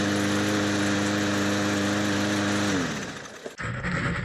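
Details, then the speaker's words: Trash-picked mower running after reassembly and fresh gas. The small engine holds a steady, even drone with no surging or sputter, then winds down smoothly at shutoff; normal running. "Well, there you have it, folks. It runs, and that is an easy way to make money from the trash."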